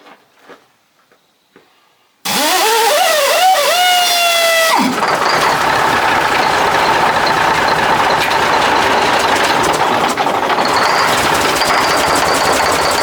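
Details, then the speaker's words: 1980 Mack FR700 diesel truck, first start in 10+ years: starter whirs and rises for two seconds, then catches into a loud, steady, even clatter; healthy start, some smoke from exhaust, a turbo feed fitting found loose afterward. "so yeah well that's a bit of success there looks like we got a little bit of out of that exhaust too"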